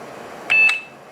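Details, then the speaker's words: HP Vectra VL Series 4 5/133 at power-on, no hard drive, CD-R not working: two quick high-pitched POST beeps over a quiet room, signaling a resource allocation conflict with the PCI Ethernet card; boot goes no further. "so oops resource allocation conflict PCI device that's the uh Ethernet"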